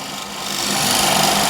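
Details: Negative-rake scraper on a wood lathe, handle held slightly down: a smooth, light hiss as the edge takes fine shavings, building steadily with no chatter or catching; sharp scraper cutting cleanly.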